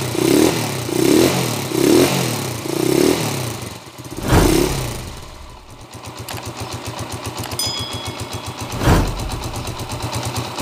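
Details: TMX 155 single after overhaul for a noisy, knocking engine: a few quick throttle blips, then an even putter at idle with no knocking; carburetor tuning still somewhat off. Normal running.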